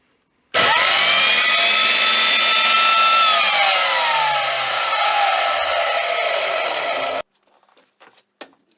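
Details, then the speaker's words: Wolf BS3B/BS3W belt sander after recommissioning and regrease, first power-up: starts at once with loud, steady motor whine that settles slightly and stays even until switch-off; normal running. "Really pleased that we managed to get this back to a usable"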